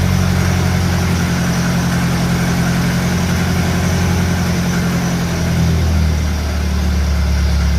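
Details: Engine on a cold day fitted with a 1956 Lucas D3A4 distributor, run briefly with no radiator or coolant; low, steady thrum idling evenly with a slight settle in speed near the end, running cleanly and healthy.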